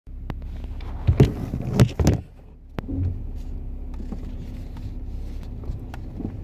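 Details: BMW 340i F31 xDrive with only 12,000 km, recorded from a phone in the left door pocket. Irregular creaks and clicks come from the front-left wheelhouse/suspension while driving slowly, worse when turning, and getting worse over time.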